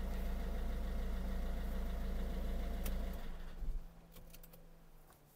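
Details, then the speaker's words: Citroen C3 1.6 HDi diesel idling with AC on, after fixing fan fault P0483 (owner thinks only the low fan speed wasn't working); even fan rush stays on without cycling off, fault doesn't return, normal radiator fan operation. "donc peut-être qu'il y avait que la petite vitesse qui marchait pas donc là on entend bien s'activer il se désactive pas"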